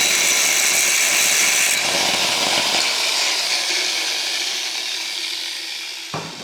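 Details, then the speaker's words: Broken corded angle grinder test-cutting scrap steel: a harsh, gritty scream as the disc bites, then a rough rundown. It works but sounds horrible under load; cause not determined. "That sounds horrible."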